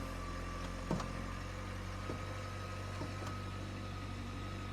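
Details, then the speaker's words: Crash-damaged 2024 Renault Clio hybrid from a salvage auction starts with foot on brake and idles with a steady, even low hum, no knocks or misses, a few handling clicks; the engine sounds healthy. "oh oh she's started it's running oh we got music hold on well that was easy Chris"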